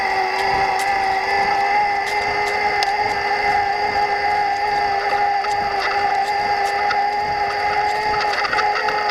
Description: Demo of scratchy/chirping/chattering noises from Yamaha PWSeries ST drive unit on low levels of assist when driving gingerly.